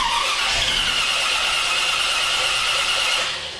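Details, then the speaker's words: Small-block Chevy 400 V8 with a newly installed JEGS Bandit throttle-body EFI cranks but won't start: steady high starter whine, never catches, because the EFI gets no RPM/tach signal from the HEI distributor, although there is enough fuel. "it does try to fire so there is enough fuel it's just it doesn't know to inject anything because it doesn't know there's an engine here"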